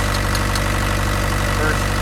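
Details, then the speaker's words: Mini excavator diesel engine after fuel filters were changed and air was bled from the fuel lines, having been choking out before; low, even thump with a smooth, unbroken rhythm and no missing beats; normal idle. "sounds like it's running a whole lot better"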